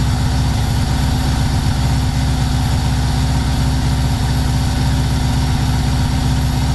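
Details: VW T3 Combi with swapped Subaru engine on its first start, coolant at 76 °C and still warming: low, lumpy idle with an uneven beat around 95 per minute. It is running far too rich, reading roughly 12.5, with black smoke that risks fouling the plugs.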